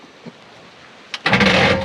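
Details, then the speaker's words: Chevy 6.5 turbo diesel Express van sold as "bad engine", new battery plus booster, glow plugs heated: short harsh metallic grinding on cranking, no even rhythm; starter suspected, owner thinks flex plate is shot. "oh that don't sound good it sounded like a like a starter rounding against like the starter yeah the starter sounds jacked up"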